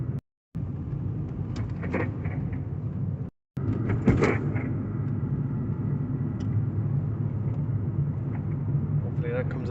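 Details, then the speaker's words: Car driven over bumps: irregular creaks and short squeaks from the rear over low road rumble, caused by worn, dry rear shock absorber bushes. "You can hear lots of creaking, squeaking, and just very annoying, unpleasant noises from the back end on this vehicle."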